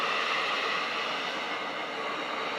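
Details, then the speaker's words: Tefal Access Steam Force DT8270G0 handheld garment steamer, 2000 W, new unit in turbo mode just after a boost blast; steady even hiss, no sputter, gurgle or pump knock, running normally. "and there we go one huge dash of steam blast right there"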